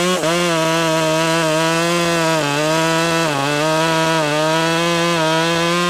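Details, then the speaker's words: Ported Husqvarna T540 Mark III top-handle chainsaw, new, cutting a big round outdoors at about 14°F after brief warm-up: high revs sag and recover repeatedly as the chain slaps loose; bent bar and jumpy worm-gear tensioner let chain tension go. "The bar on the inside of this is bent. I'm guessing if you can see that, but the little worm gear, it like it's it's jumpy. It's not it's not smooth and the bar is rotating"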